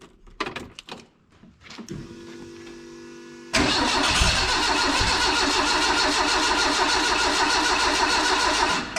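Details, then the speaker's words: Renault 5 GT Turbo engine in a van on a Max ECU, first start attempt with injectors still scaled for 600 cc and throttle cable disconnected: steady even cranking for over five seconds, never catches; cranks but won't start. "and I'm going to crank it and see if it will [Laughter] run oh come on oh you ple I need to rescale the injectors scaled for 600 cc's"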